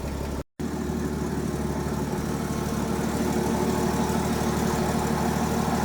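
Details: Ford F-100 after replacing the starter with a faulty Bendix that caused a strange sound and no start: engine catches right away, starter engages cleanly, and it settles into a steady, even low idle; normal idle.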